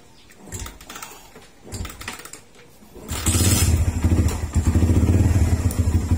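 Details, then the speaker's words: Motorcycle after fitting a new Motaro tri-electrode spark plug: the engine catches into an uneven, lumpy, surging idle that struggles and stalls, still hard starting and dying in traffic when braking; owner suspects the carburetor needs tuning, not the plug. "namamatay talaga siya ah ayun nga guys ah kinabit natin yung motaro na spark plug pero ganun pa rin hard starting pa rin siya"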